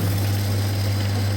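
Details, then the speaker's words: Very old General Electric dishwasher, wash motor running again after its relay contactor was replaced. A steady low hum at constant pitch with water rushing as high-pressure spray reaches the upper and lower spray arms; it runs normally. "Now motor already start. Now this one you can see with the high pressure water going to the up louver."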